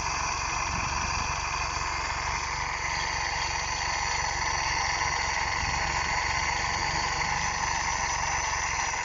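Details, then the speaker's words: GM engine: it overfuels and may have petrol in the oil; timing is correct and the cam type is unverified. It idles funny with the fan on; once the fan stops, the idle is steady, even and smooth. "Some of it's clearing out now. When the fan go off, that thing idle normal"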